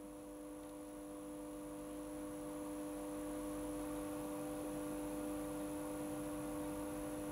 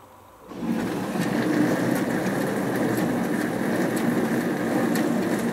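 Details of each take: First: Hotpoint Aquarius+ FDW70 dishwasher on test wash: steady low electrical hum with no sound of water moving; the motor buzzes but isn't pumping, though the drain pump works. Motor capacitor later replaced; cause suspected, not confirmed. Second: Hotpoint Aquarius+ FDW70 dishwasher on a test wash after a faulty part was replaced, checking the heater works. Starts into a steady rushing spray with even pump hum, no grinding or rattling; washing normally, water hot.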